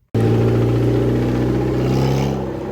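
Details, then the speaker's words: Lemons race car engine running at steady speed before it died, blowing a hole in the block and throwing a rod: fast, even knocking pulse under the exhaust note; rod knock. "You hear that sound? Pretty sure that's rod"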